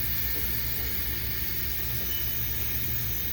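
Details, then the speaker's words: 2021 Mercedes Sprinter M274 gasoline engine with cylinder 3 misfire and fuel trim codes, leak-down test on cylinder 1 at top dead center: steady air hiss, about 45% leakage; leaking exhaust valves and piston rings found on cylinder 3. "We got about 45% leakage on number 1."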